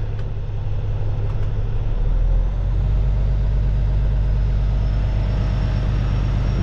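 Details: Peterbilt ISX Cummins CM2250 at idle after a front structure leak repair, now not leaking, warming up before an oil and filter change: an even, steady diesel clatter with a deep regular beat, no stumbles or knocks; a healthy idle.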